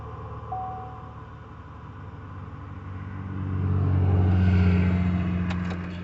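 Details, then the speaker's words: 2010 Chevy Impala just started after a spark plug change: steady, even idle with a brief rev swell, no misses or knocks. Normal idle. "So I'm finna crank it up and see what it do. It's up and running."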